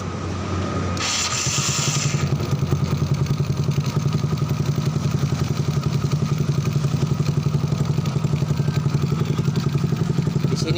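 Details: Honda Grand motorcycle with a fast, loud, uneven single-cylinder idle and a raspy exhaust. The carburetor leaks fuel and its idle screw is set to one turn instead of the usual three; the exhaust is also loud and due for replacement.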